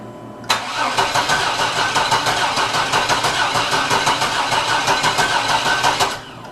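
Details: 1987 Chevy Astro van (description says 97), towed in with a crank-no-start: starter cranks steadily with even compression beats about three a second but never catches.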